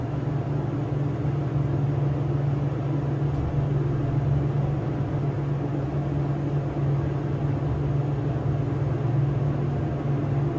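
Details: SEIM screw pump in machine room of elevator modernized a few months earlier, replacing old Dover: loud steady low hum with constant drone, no speed change; pump very noisy, cause unclear.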